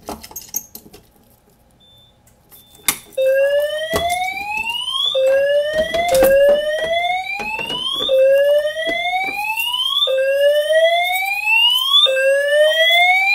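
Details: Simplex 4010 fire alarm panel, test 30, multi-tone horns after pulling the metal T-bar pull station: a sharp click, then a rising whoop tone repeating about every two seconds, steady and clean; horns sounding correctly.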